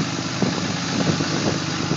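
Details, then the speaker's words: Cummins diesel cold start at 27°F with exhaust brake on, goes straight into high idle: fast steady idle with even clatter and faint turbo whistle; starts and runs healthy. "okay here we go right up into high idle so simple"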